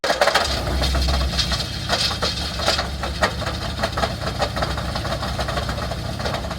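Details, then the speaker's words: Cheap C5 Corvette, first start after electrical fixes and overnight battery charge: loose uneven idle with irregular knocks and rattles; rough running, misfiring, engine failing, rebuild or swap considered. "You could hear the engine noise. It doesn't sound very well."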